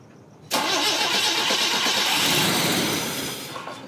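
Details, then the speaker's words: Volvo on D-Jetronic fuel injection, just started: catches suddenly, runs rough and uneven with a thin hissy note. Line holds pressure, but it fires on only two cylinders because the other injectors aren't spraying; misfire. "Yeah, there's pressure in the line, but we're firing on 2 cylinders because all the other injectors are not spraying."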